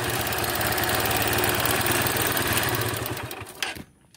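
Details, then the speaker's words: Hero Honda Hunk motorcycle engine at idle before tappet adjustment: quick even ticking, about four per second, until shutdown, from excess valve tappet clearance needing adjustment. "ටැපට් ඇඩ්ජස්ට්මන්ට් එක හරියට නැති වුණාම මේකේ නෑ කිටි කිටි සද්දයක් එනවා. ඕගොල්ලන්ට ඔය සද්දේ අපි හරියට ටැපට් ඇඩ්ජස්ට්මන්ට් එක කරාම නැති වෙනවා."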